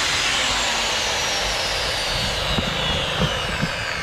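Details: Bosch GWS 22-180 angle grinder with a burnt switch, running free on a temporary switch bypass: steady high-pitched whir, even pitch, no stutter, rattle or grinding; normal free running.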